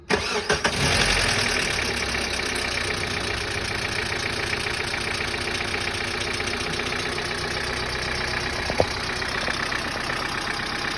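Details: 1997 Hyundai Elantra 1.8, lifters replaced 5,000 km earlier, Liqui Moly 5W-40 oil with MoS2 and lifter additive: engine cranks, catches, then fast light ticking over idle; lifter noise persists, additive gave little or no reduction.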